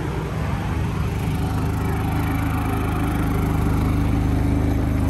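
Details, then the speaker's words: New Predator 3500 W inverter generator on first start, powering an RV with the air conditioner switched to low cool. Steady hum with even low firing pulses rises briefly as the load comes on, then settles smoothly and carries the load. "did idle up for a second and uh oh hey dog seems to be handling it pretty well"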